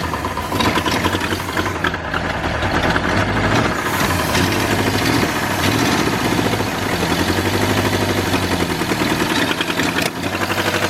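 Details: New V8 in a 1953 Ford project truck, first start after re-timing with number 1 verified at top, no coolant hooked up: loose, lumpy idle with slight rev wander but keeps running on its own; engine runs.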